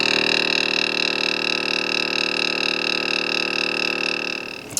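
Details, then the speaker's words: Smittybilt 2781 air compressor (150 PSI max) inflating truck tire, gauge overshoots while running: fast even buzzing chatter with steady high hum, constant until switched off; normal compressor running. "So that's not super awesome, but it does a really good job inflating."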